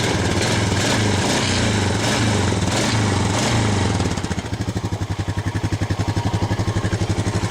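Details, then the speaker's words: Honda Foreman 500 ATV with mouse-chewed wiring harness, parked since spring, in neutral: single-cylinder engine revs up cleanly and drops back to an even putting idle, no stumbling or cutting out; running properly. "Well, that seems to be working."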